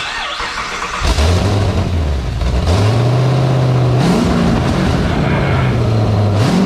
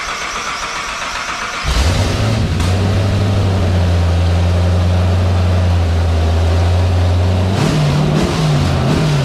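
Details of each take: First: 1959 Chevy Apache twin-turbo LS3 after fixing ECU fuel pump relay trigger wiring: cranks briefly, catches at once, revs up and down cleanly and settles, smoking; V8 starts and runs normally. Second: 1959 Chevy Apache restomod, twin-turbo LS3 on first startup tests with VATS-removed ECU: cranks, catches and idles roughly a few seconds on starting fluid then stumbles; won't run on fuel, injectors powered but no pulse, suspected wiring fault.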